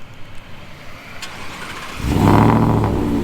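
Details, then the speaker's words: V8 after a muffler shop welded up exhaust leaks: a quiet start, then a deep rumble swells as it revs. No ticking or puffing from the pipework, so the exhaust is sealed. Not too loud at idle, fairly loud under throttle. "it's not too loud but if you get into the pedal it's pretty decant Loud"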